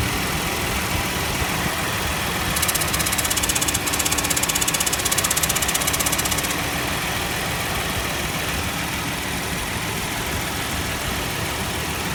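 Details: Nissan Elgrand E51 at idle: rapid metallic ticking about four per second over the engine for a few seconds, then fading; abnormal noise from the air conditioning.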